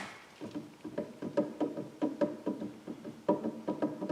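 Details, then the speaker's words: Generac RV generator with a vertical-shaft engine belt-driving the alternator, shaft turned slowly by hand: uneven clicks and rough scraping about twice a second, slight shaft play; alternator bearing badly worn and failing. "that bearing is bad real bad man see if you can hear that go up here to the top yeah it's definitely uh that noise is definitely right there"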